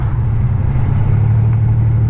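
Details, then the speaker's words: $200 salvage-auction BMW 325xi E46 all-wheel drive, driving down the road: deep, steady exhaust rumble with no misses, knocks or surges while cruising; engine running smoothly, normal. "And by the way, it's running great. Running great, guys. Driving smooth down the road."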